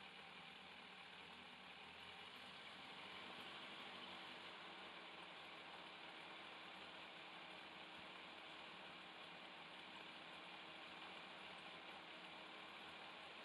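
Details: 2002 Yamaha FZS 1000 Fazer four-carb engine, warmed up, after carburettor synchronisation with all four vacuum needles matched: steady, even idle with smooth buzzy hum, no stumbles or surges; normal balanced idle.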